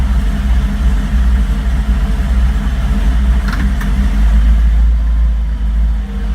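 Low, uneven idle that surges slightly, then a short blip of throttle; the engine is clearly not running smoothly.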